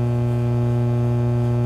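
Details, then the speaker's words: Soundcraftsmen A2502 amplifier with no signal input, microphone held at the speaker: a steady, loud low hum with a buzzy edge from both speakers, mains hum. "Now it's really hard to hear, but so I'm going to put the microphone up to the speaker. But we got some pretty serious hum out of both speakers."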